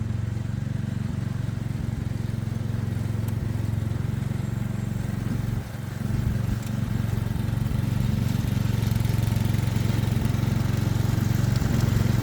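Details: Ride-on mower engine mowing under load, overdue for an oil change and on a temporary air filter: steady low throb with a short dip around six seconds, then even running; sounds healthy.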